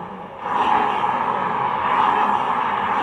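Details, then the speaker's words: Honda Vario 125 scooter CVT: rough continuous grinding rasp as the rear wheel turns, easily mistaken for worn reduction gears but actually a dry, worn driven pulley clutch bearing; recorded before replacement. "Kedengarannya kasar, jadi dia kayak posisi kelakar atau enggak gigi rasio yang beradu. Padahal itu bukan dari gigi rasio. Memang benar suaranya nyaru ya teman-teman ya."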